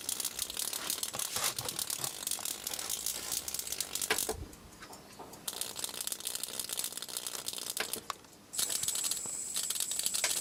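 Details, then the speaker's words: 1980s flyback driven at low power through its internal primary by a crude audio-amplifier setup with treble and bass tones: sharp continuous crackling buzz dropping out and returning as power switches; strong, healthy high-voltage arc, flyback works fine. "okay well now this flyback works all right"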